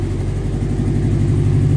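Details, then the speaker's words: 1998 Subaru Forester S, first start in years after timing repair: loud, deep idle with a raw, puffing exhaust note; owner suspects a hole in the exhaust, and it smells like bad gas; exhaust noise at idle. "This thing's got a little bit of an exhaust to it."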